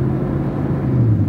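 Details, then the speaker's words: GM full-size pickup with about a quarter million miles on a road test, windows up; steady low road rumble, no roar from wheel bearings and no rear differential howl; normal bearings and rear differential. "so far the bearings are pretty quiet I don't hear any big roaring noises I don't hear the rear differential howling"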